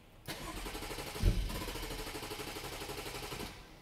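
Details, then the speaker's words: 2013 BMW 3 Series F30 N55, hard start and stalling with codes 1F1A91 and 119404: starter cranks evenly for about three seconds but never fires; crank no start from a shorted 5 V reference. "bien, así que no quiere empezar"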